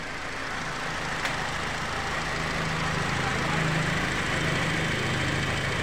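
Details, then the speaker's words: Nissan X-Trail T30 after repair of white smoke, oil consumption, hot-engine knocking and loss of power: smooth, even idle with a steady low rumble, the previous tuk-tuk knocking gone, no stumbling or shaking. "suaranya juga sudah halus ya teman-teman tidak ada suara tuk tuk tuk tu tuk seperti kemarin"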